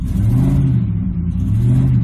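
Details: 2007 Ford F-150 5.4L 3-valve V8 brake-torqued in gear after cylinder 2 repair (loose plug): deep, steady, even drone under load with no stumbles or dropouts; cylinder 2 no longer dropping out, normal.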